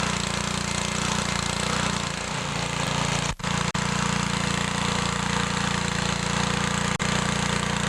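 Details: Older Briggs & Stratton 3.5 HP single-cylinder lawnmower engine without primer, after carburetor and diaphragm reinstall, carb mixture set about 1 3/4 turns out: steady, even drone with only a couple of brief dips, running cleanly as the carb is adjusted.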